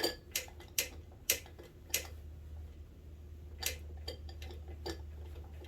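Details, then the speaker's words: Suzuki LT125 quad engine turned slowly by hand: good compression, then sharp irregular clicks come just after compression over a low hum; owner suspects valves or valvetrain, not the lower end; cause not confirmed. "It's got good compression, that's for sure. It's right after compression it does it, like it's valve noise almost. Valve or valve train."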